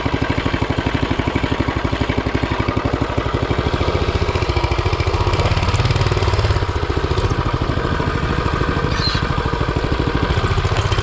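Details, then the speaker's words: Coleman CT200U-A mini bike with newly installed Hisun 196cc engine, test run: single-cylinder thumping at fast idle, pulses slightly uneven and swelling mid-clip; runs rough, oil checked good, cause not pinned down. "Oil's good. I don't know why she sounds like garbage."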